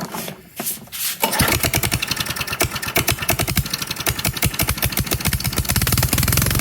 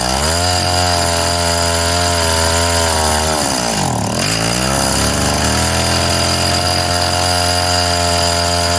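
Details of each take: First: Sears/Craftsman 22-inch self-propelled push mower (917.378170), small single-cylinder: catches and runs with a sharp, uneven popping beat, then quits; leaking carburetor float needle seat floods it, needle taken apart and cleaned. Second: Craftsman mini tiller 536.797500 two-stroke after cleaning, fuel line and carb work: high steady buzz, briefly sags and recovers, then settles smoothly after idle tuning; runs well.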